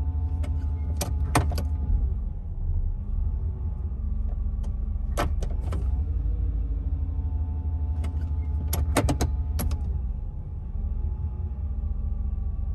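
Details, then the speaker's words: GM 5.7 TBI V8 at operating temperature after replacing a badly corroded distributor cap and rotor: steady idle around 800 rpm dipping slightly when shifted into reverse and drive, no stumble, no longer stalling; normal idle. "the rpms are hanging around 800 and as i shift through the gears into reverse and drive notice the rpms do drop down a little bit as there's a load on the engine however it is no longer stalling out"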